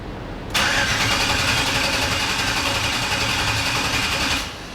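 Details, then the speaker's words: '84 Chevy C20 Squarebody with an LS swap on a factory base tune with VATS off, first start: a loud busy idle at 40 psi oil pressure with a high whine from the power steering pump. "the oil pressure 40 pounds of goodness power steering pump's yelling at me"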